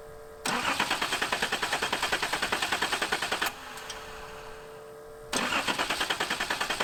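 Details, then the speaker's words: 1981 Nissan 280ZX six-cylinder that sat about 15 years, with fuel pressure, pump and return line confirmed working: two bursts of even cranking at about three turns a second with no firing. It cranks but won't start; lack of spark is suspected. "well not getting anything let's double check our spark make sure that the coil works"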